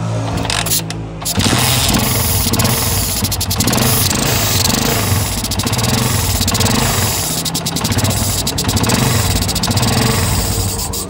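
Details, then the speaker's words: Honda CG 125 motorcycle carburetor with the main jet fallen out after working loose: engine starts and hunts unevenly, surging and sagging with a rhythmic sucking breath, unable to hold a steady slow idle. "यह आपने सुनी कि यह जो ski मतलब starting के बाद जब यह जेट गिरा हो दोस्तों तो जब स्टार्ट करते हैं तो गाड़ी इस तरह से सांस लेती है गाड़ी की सुख सुख की आवाज आती है"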